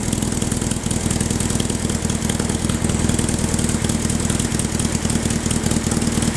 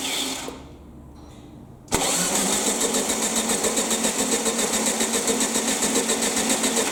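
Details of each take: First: Baja Bug air-cooled VW flat-four, parked about 20 years, first start with new spark plugs and HT lead: busy but steady chatter holding an even idle without dropouts; running normally. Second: Baja Bug (air-cooled VW) parked for about 20 years, first start attempt with a new fuel hose to the pump: two bursts of steady cranking, engine spins freely but never fires; fuel present, no spark found, plugs to be replaced.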